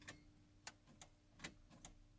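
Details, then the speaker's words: 1998.5 Dodge 24-valve Cummins turbo diesel, no start after vacuum pump and power steering pump removal: sharp irregular solenoid clicks with no starter spin; batteries charged, fuses fine; solenoid clicking, no crank. "but i can hear the solenoid clicking here the solenoid click so the solenoid was working"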